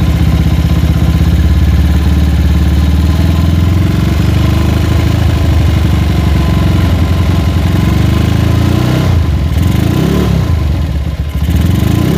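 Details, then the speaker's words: Honda GL motorcycle with an open straight-through exhaust, engine warm: loud idle with a ragged beat that sags and rises every few seconds, never settling, and rattles when hot; unstable idle. "Oke dia itu sudah ketika mesin mulai hangat ataupun dia itu sudah menginjak musim panas stabilnya mulai tidak stabil ya naik turun naik turun"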